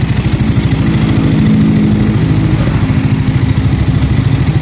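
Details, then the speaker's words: Yamaha Nmax scooter engine after a shop rebuild fixing a cracked valve-guide head and cracked cylinder base with a re-sleeved cylinder, partly assembled, test-started to bleed coolant. Steady unhurried low putter with no knocks or rattles. Normal idle after rebuild. "แล้วเพราะว่าเราไม่ได้ประกอบครบทุกอย่างนะครับแค่ลองสตาร์ทนะครับแล้วก็ไล่น้ำนะครับน้ำนิ่งๆนะครับ"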